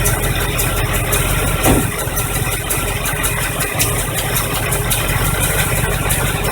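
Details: 1985 Chevy truck V8, carbureted, after fuel pump replacement; deep steady idle with even beat, no knocks or squeals, running smoothly again; alternator bracket broken so belt loose and may squeal.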